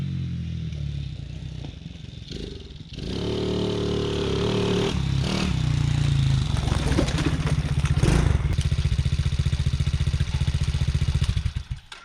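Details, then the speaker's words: TaoTao Coolster 110cc youth ATV, previously bogging and backfiring, after repair (kinked fuel line suspected): catches after a few seconds, then revs cleanly and strongly with even pull, no misfire or backfire. "This thing rips. Holy cow."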